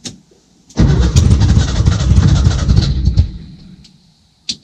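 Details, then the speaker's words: 1966 VW Westfalia SO42 split-window bus, sat over 30 years, first start attempt after ignition switch wiring and static timing: uneven two-second cranking chug almost catches then fades; cranks but won't run, seems to want more fuel, carburetor may need cleaning. "yeah she wants to you might have to clean that car it's good to hear at least coughing try it one more time"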